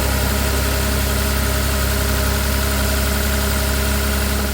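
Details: Volvo idling after new upstream oxygen sensors were fitted, no check engine light and both sensor 1s reading current: steady, even idle with a low smooth hum, no misses, knocks or hunting; running clean.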